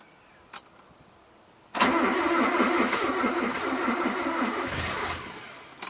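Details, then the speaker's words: Mazda B2200 with a Kia FE3 engine swap, first start attempt after a previous bad starter: starter churns with an even pulsing rhythm for about three seconds but the engine never catches. Crank no start. "We crank over. I think it wants to start."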